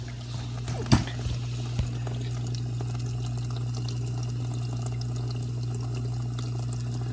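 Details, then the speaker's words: Dishwasher after water inlet valve replacement, test run: steady low hum with water rushing and trickling into the plastic tub bottom, no hammering or chatter, no drips; fill working normally. "can hear water coming into the bottom of the unit because it's plastic"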